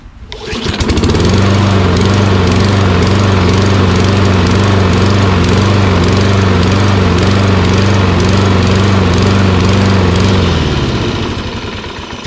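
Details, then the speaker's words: Toro Recycler XT675 mower with Kohler engine, run with the gas cap removed: full-throttle running with a slight uneven hunt in its beat; surging from fuel starvation, owner suspects a blocked gas cap vent. "it still kind of surges so i have to work on this a little bit"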